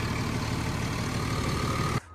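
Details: Cat D6K dozer diesel after replacing an injector that hung open and caused no-start: steady, even idle rumble for two seconds before cutting off, no knock or stumble; running normally.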